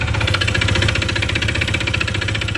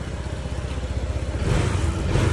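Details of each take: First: Honda PCX 160 MC taxi, 82,904 km odometer, side cover removed, very noisy engine that suddenly got loud while riding: loud, fast metallic clatter over idle from worn internal parts, worn out rather than oil-starved. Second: Honda PCX 160 MC taxi, 82,904 odometer, after engine overhaul (new block and piston, still breaking in): low, even putter picking up smoothly with throttle, no knocking; back to its normal quiet sound.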